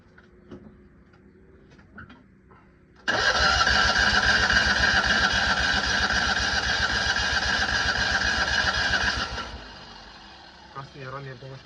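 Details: Citroën 2CV classic car: starter spins the engine at an even chug for about six seconds but it never catches; cranks without starting.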